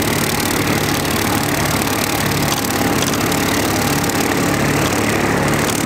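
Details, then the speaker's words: Mower after fixing a fuel-draw problem that made it run poorly under load and refilling low fluids: even, steady engine drone with no stumbles or surging; running smoothly. "sounds good right now so we're going to get this thing going and we're going to get to mowing some of the yard and hopefully she runs smooth"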